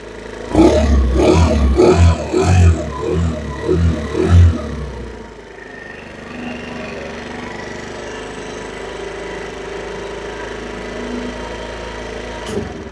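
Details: 2022 Chinese carbureted scooter, a former no-start with a bad carburetor, restarted easily: a few sharp throttle blips, then it drops to a settled, even idle with no stumbling; it runs fine.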